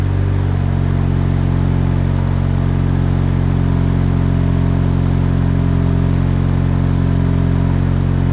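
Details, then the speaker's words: Turbocharged Chevrolet HHR SS Ecotec, just cold-started in cold Pennsylvania weather after sitting since October and being reassembled for inspection: steady, even low idle hum, no misses, ticks or rattles; normal cold idle, owner says everything seems okay. "all right so it seems like everything's okay"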